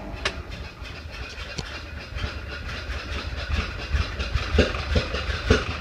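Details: 1931 Ford Model A after 10+ years stored, weak battery, maybe flooded, timing fully advanced, in neutral; slow lumpy beat with irregular pops spitting back through carburetor, then dies; owner suspects sticking intake valve, unconfirmed.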